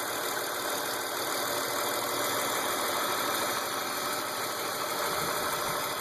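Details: BMW E36 328i M52 inline-six, 175,000 km, M50 intake, M3 EU headers and exhaust, idling evenly with a light tick about three per second. Runs strong despite new lifters, chain tensioners, upper chain, VANOS seal, injectors and sensors; oil and fuel pressure checked. Source unknown.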